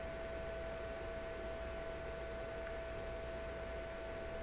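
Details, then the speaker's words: Electrohome tube console receiver on full line voltage, no schematic, while probing B+ and screen voltage: steady pure tone around 650 Hz over soft hiss and hum, origin unknown; a possible wiring error is suspected. "okay I don't know what that sound is pretty weird never heard anything like that"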